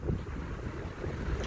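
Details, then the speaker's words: Aloha Breeze 12001 fan on low setting after oiling the motor with WD-40: steady, fairly loud rushing airflow with no scraping, ticking or wobble; the fan is running smoothly again. "hear how good it is like i said it's kind of loud but it doesn't bother"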